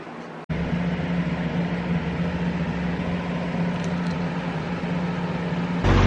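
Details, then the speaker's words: Car just fitted with nitrous, a custom cold air ram intake behind the headlight, and new spark plugs. Steady low idle hum with audible intake suction hiss, no knocks or misses; running as it should, normal idle. "Everything's working as it should. And it sounds pretty good. You can hear the suction."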